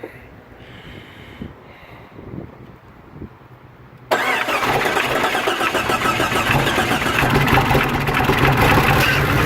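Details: 92/93 Jeep Cherokee with no engine codes, MAP just replaced and tested and throttle body swapped: engine catches and settles into lumpy, wavering idle; throttle kills engine; rough idle, cause not yet found, runs longer than before.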